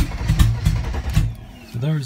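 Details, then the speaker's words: 1992 Mercedes 300TE with no catalytic converter or muffler, cranked without throttle: starter churns in uneven pulses with one brief near-catch but won't run; owner suspects inconsistent spark or fuel reaching only some injectors. "so you see it sounds like it's got inconsistent spark to me it could be that maybe it's only getting fuel out of some of the injectors"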